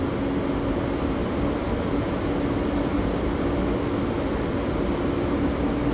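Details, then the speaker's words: Electra fast-charging station in France as an EV charge begins (car accepts up to 77 kW): loud, steady cooling-fan roar with a faint constant hum; the charger ventilates heavily, normal fan noise while charging. "Désolé pour le bruit, elle fait beaucoup de bruit, elle ventile énormément cette borne."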